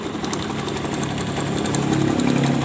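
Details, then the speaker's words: Honda Beat FI scooter, never routinely serviced: rough gritty rattle from the rear pulley of the CVT case at idle, something loose. "kita fokus di bagian bak CVT perhatikan di bagian bak puli belakangnya semacam ada yang longgar"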